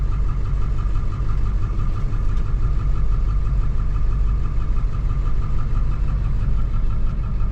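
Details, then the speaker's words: 2007 Ford F450 with swapped-in 7.3 Powerstroke diesel at idle, check engine light on, cylinder 5 flagged. Steady low idle with faint uneven shake in the rhythm. One dead cylinder, traced to the passenger-side under valve cover harness. "You can just barely make it out, you know. It's got that little bit of shake. It's running good, but definitely got a shake."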